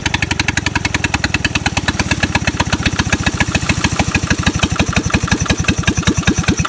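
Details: Onan/Lister-Petter military MEP-802A diesel generator with suspected injection pump problem, number two injector squirting poorly: heavy chuffing about ten beats a second, uneven and sagging; rough running, cause not confirmed.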